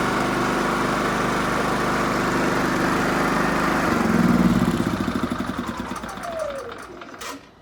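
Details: Onan Cummins generator, previously cranking but not starting, after repair and reassembly: runs with a steady even beat without stumbling or misfire, then pitch sags as it is switched off and winds down; normal running.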